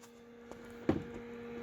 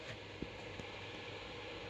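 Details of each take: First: Acer Predator X27 monitor with replacement fluid-dynamic-bearing fan at maximum speed, module at 49 °C: soft, steady low hum with no rattle, ticking or grinding, much quieter and softer than the original fan; normal fan running. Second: Acer Predator X27 monitor cooling fan set manually to 100%, louder than its normal 75%: steady, airy roar with no speed change. Loud cooling fan at full speed.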